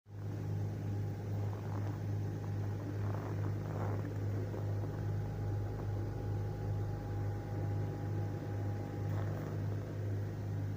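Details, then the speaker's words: Kia Magentis 2.5 warmed to operating temperature after cold -25°C start: smooth, even idle with no tapping or knocking heard. "стука нет. Вот, работа на прогретую."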